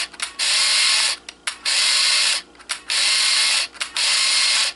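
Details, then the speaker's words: Kodak KC30 35mm camera with flash disabled, frame counter advancing: four even ratcheting whirs about a second each with short pauses; film advance running smoothly. "vamos a desactivar el flash para no darle tanta carrilla y ahí va avanzando avanzando"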